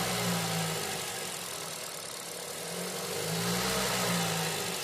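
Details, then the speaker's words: 2019 Ford Escape 2.5L four-cylinder idling right after replacing the air filter and spark plugs: steady, even, low smooth hum with no knocks, misses or ticks; normal idle. "All right, sounds pretty good, I test seems to be running smooth."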